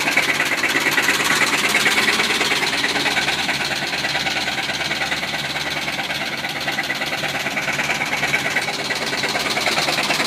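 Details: Worn-out original 1973 Chevy C30 with numbers-matching 365 hp LS5 454 big-block V8, run low on oil by a previous owner, idling with a sharp, fast rod knock over the running noise.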